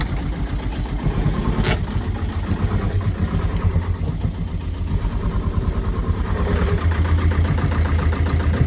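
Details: Truck engine idling after being reassembled: rough, uneven idle with heavy low knocking about twice a second; earlier a piston strike was suspected, and the knock is heard as a tappet; cause not confirmed.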